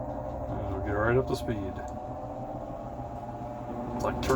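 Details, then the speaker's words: Maytag Bravos top-load washer after basket driven hub replacement, test in drain-and-spin mode: steady motor hum with an even spinning drone, no knocking, scraping or grinding. Normal spin cycle. "all right i think it's time to do a load of laundry everything seems to be working"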